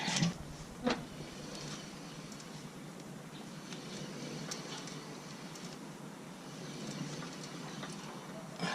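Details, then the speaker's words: Honda CR-V RD1 front axle raised, wheel spun slowly by hand to find a humming hub bearing: only a soft, even rush with a few handling clicks, so this bearing is healthy. "и потихоньку прокручиваем колеса и смотрим будет или не будет подшивок если подшипник изношены уже будет его сразу будет слышно это целый"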